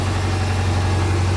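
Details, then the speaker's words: 2004 Subaru with swapped 2.5 engine converted from automatic to manual, restarted with full exhaust, coolant and accessories fitted: steady, even low rumble at idle, no knocks, ticks or whine; normal idle. "time to start it again with a full exhaust attached make sure there's no new noises that I didn't hear before so yeah this sounds like our car nor normal"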